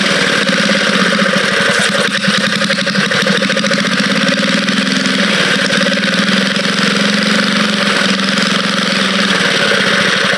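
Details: Vintage Cat Duster minibike small single engine running fast and even with a steady buzzy beat, no knocks, misses or smoke; the motor sounds good: normal running.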